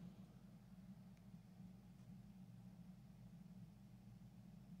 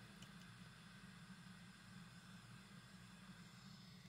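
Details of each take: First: About 1968 Magnavox suitcase record player transistor amp, owner-recapped, repaired for hiss and noise in one channel, now giving 3.5 W per channel and still cold. Very quiet output with only a faint acceptable hum and soft hiss, no crackle; normal. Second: 1960s (about 1968) Magnavox suitcase record player transistor amplifier, recapped: one channel speaker outputs steady white-noise hiss with low hum, unchanged by volume, tone or balance.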